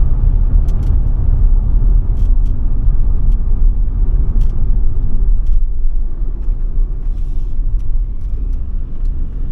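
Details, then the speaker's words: Ford Transit Custom diesel after new turbo, DPF clean and ECU remap, driving under throttle: deep, even rumble pulling steadily, no knocks, rattles or whistles; much quicker, running nicely, normal. "I don't know if you can see that but that is it's a lot quicker it's running so nice"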